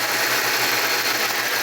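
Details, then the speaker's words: Jeep Cherokee XJ first startup after installing a new cylinder head (old one cracked), new cold air filter, plugs, wires, hoses, gaskets, on a relatively recent short block: steady, even idle, no knocks, ticks or misses; runs good. "new head new cold air filter plugs wires hoses gaskets but it runs good"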